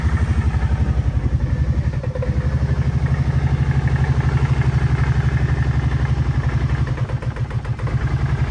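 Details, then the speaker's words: 2011 Kawasaki Brute Force 750 V-twin at idle before the repair: lumpy, uneven thumping about four a second, sagging and prone to dying at idle though fine under throttle; idle air control valve suspected and replaced. "so let's see if we can fix that really rough idle. And it seems to constantly die too if you're just idling, but when you're giving it any throttles, it's just fine."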